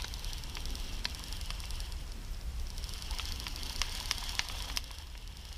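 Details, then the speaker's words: Shimano Cardiff 400/401 baitcaster reel, recorded on a stock GoPro microphone: faint, uneven clicks about two or three a second over a low rumble as the handle turns, though still smooth; failed anti-reverse bearing. "very subtle very difficult to hear if you don't pay attention in the real is still perfectly smooth if you get this noise it's most likely the anti reverse bearing"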